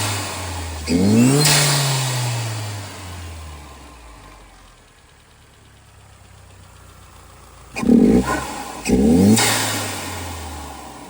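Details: 2010 Hyundai Genesis Coupe R-Spec turbo 2.0L Theta II with a newly installed GReddy-style FV blow-off valve: revs rise and drop with short clean whooshes on throttle close and no sustained flutter, where the old one fluttered every shift; venting properly.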